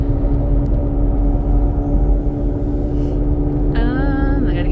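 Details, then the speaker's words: 2006 Pontiac G6 test drive, accelerating fine and driving smooth: a steady, loud low drone holding one pitch under road noise; the driver believes it is a wheel bearing, probably front passenger side, rather than exhaust noise. "It's driving pretty decent, driving smooth, other than the, excessive loudness as far as the wheel bearing. I don't think that's exhaust noise."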